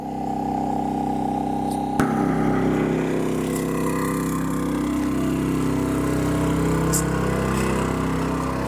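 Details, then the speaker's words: MaXpeedingrods 4000W dual-fuel inverter generator powering an RV air conditioner in hot weather, eco mode off; steady drone, slightly louder than before, even and smooth with no misses or knocks; normal running under load. "It's a little louder than it was. Yeah. Running just fine."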